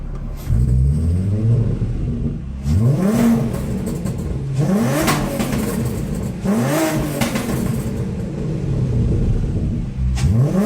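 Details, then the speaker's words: 1978 VW Scirocco with 24v VR6 swap on a hot tune, running slightly rich after fixing a buzzing relay: crisp repeated blips to high revs, clean rise and fall, no misses or knocks, possibly flames from exhaust; normal revving. "Now, I'm not sure, but that may be flames coming out the back. It sounds like it. So that's pretty cool."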